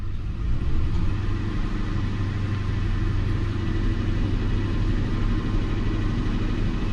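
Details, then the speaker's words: 2005 Lincoln MKT idling with a misfire on cylinder 5: deep, uneven lumpy idle with a missing beat; power balance shows cylinder 5 not contributing, traced to its ignition coil losing command through a rubbed-through wire. "number five is a cylinder that is not contributing at all"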